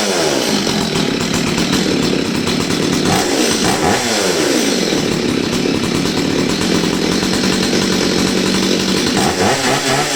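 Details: Old Stihl 023 chainsaw after carburetor screw adjustment, refitting the air filter and refuelling: screaming, steady full-throttle note holding through the cut without bogging or stumbling; normal clean running.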